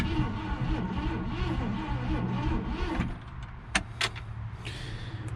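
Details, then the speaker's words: 1966 Ford Galaxie, 352 V8 four-barrel, first start attempt after 26 years, gas down carburetor: cranks about three and a half beats a second for three seconds, never fires; ignition problem suspected. "righty so we still having an ignition problem from the sounds of it so let me do some more troubleshooting"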